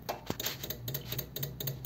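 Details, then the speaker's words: Electric fuel pump on a 1933 coupe hot rod, priming right after a dual carb conversion. Rapid light ticking at about four to five per second fills the float bowls; the ticking should stop once the floats rise and shut off the supply. Normal priming. "yes it sounds like it's filling the balls what you normally I was going to say what he normally want is for it to stop ticking yeah as the floats come up and shut the supply off"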